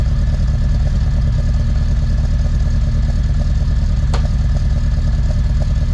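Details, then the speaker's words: Honda Civic D16 VTEC track car with big aggressive cam, cold start: loud loping idle rising and falling about twice a second, loud induction noise; normal cammed sound. "very lumpy idle. So, we're loving that. It's exactly what you want if you put a cam in your car."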